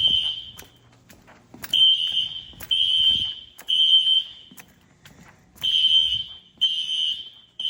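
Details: Fire-Lite ES-200X fire alarm system (replaced a 6808) on test: loud shrill horn near 3 kHz in three-blast groups with pauses, heard over a barely audible SpectrAlert; horns sounding normally.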